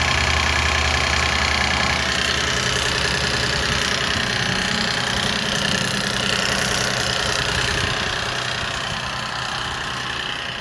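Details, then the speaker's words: 2006 Lexus IS250 after primary timing chain tensioner replacement, battery recently disconnected: steady metallic rattle over idle and revs, seemingly from back of engine; not that tensioner, owner suspects exhaust leak or other two tensioners. "Yeah. So, the sound kind of sounds like it's coming from the back of the engine. So, I'm not sure if I have an exhaust leak, but at least now I know it's not the tensioner or at least not that tensioner."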